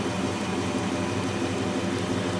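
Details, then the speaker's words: Trico one-speed vacuum wiper motor off a 1940 Nash Ambassador Eight, seized from disuse, tested after cleaning and lubrication on a running engine's vacuum line: soft, even hum with steady low pulse; runs smoothly, normal. "presto working pretty good it's a one-speed unit"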